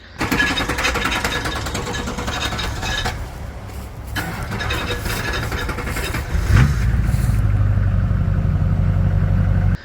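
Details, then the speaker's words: LB7 Duramax diesel, hard start/long crank, sometimes no start: starter churns steadily over six seconds before engine struggles in; leaking injector bleeds rail pressure, only 500–600 psi cranking versus roughly 2500 psi thought needed to fire. "The problem we're having with this one is we're getting a hard start, long crank, sometimes no start."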